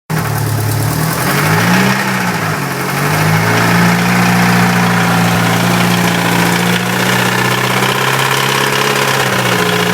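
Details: Mitsubishi Evo 6 idling with a loose, uneven tapping of about three to four per second, felt in the rocker cover area. Owner suspects main bearing failure.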